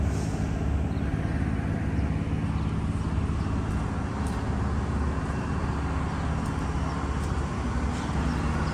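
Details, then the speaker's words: Diesel fire sprinkler pump, run half an hour each week, here on test with the isolation valve closed: a steady, low diesel drone with an even beat and no knocks or misses; normal diesel running. "Now this diesel pump, well, this baby gets ran for a half an hour each week. So you can see one is electrical powered, one is diesel powered."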